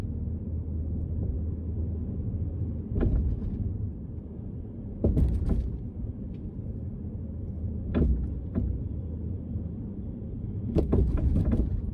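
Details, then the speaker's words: Front suspension knock on a 2008 BMW X5 E70 4.8i while driving: sharp single knocks over small bumps and squeaks over larger bumps, loud inside the cabin. Control arms may not be the cause; worn strut mount bushing suspected, not confirmed. "やっぱり小さな段差を超えるとコンコンという音、そして大きめの段差を超えるとキーキーという音がします。結構車内にいても気になる音になってます。"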